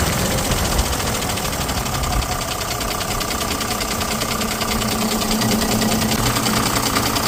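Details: Ashok Leyland BS6 diesel after removing, cleaning and refitting the leaking Bosch CB 2820 high-pressure pump and timer: first start settles into a steady, even idle with usual injection clatter, no misses or surges; normal idle.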